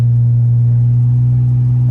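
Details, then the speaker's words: 2000 Honda Accord after automatic transmission swap, fluid level fine, full throttle: engine holds steady high drone with no gain in speed until it finally hooks up; transmission slipping suspected. "just gonna take off again and show you again see how high the RPMs are and it's not really doing much"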